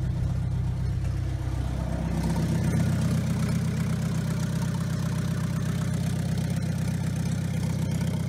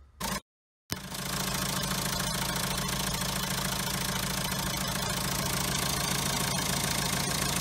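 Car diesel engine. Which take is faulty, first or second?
second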